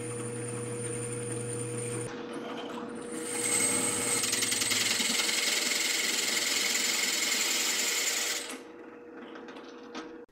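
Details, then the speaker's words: Drill with a masonry bit cutting hardened steel with oil applied. High whine with a rough, fluttering chatter. The bit got hot but went all the way through with a clean hole and still looks in okay shape. "It did get hot. I could hear it chattering, but it still looks like it's in okay shape."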